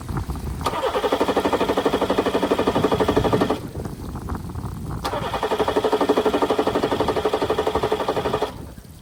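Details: Johnson 60 hp outboard on a Carolina Skiff, start test after relocating and replacing the marine battery and rewiring. Two long bursts of steady cranking at about four turns a second, never catching: cranks but won't start.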